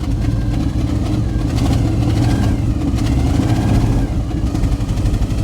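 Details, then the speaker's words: Old carbureted project car with a non-working accelerator pump, spark plugs possibly never changed; lumpy, uneven running with dropped beats and surging revs, fuel spilling from the bowls, missing on a cylinder. "Oh, that sounds like garbage. Oh, it sounds awful. Yep. And there goes a fuel out of the bowls. She's missing."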